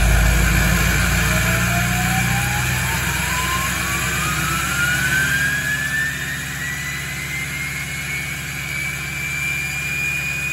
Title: LML Duramax first start in a month high idle with 68mm VGT Turbo 9 degrees